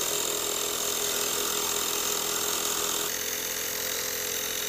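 Steady high-pitched buzzing hum from a small compressor pump, even and unbroken throughout; inflator running normally.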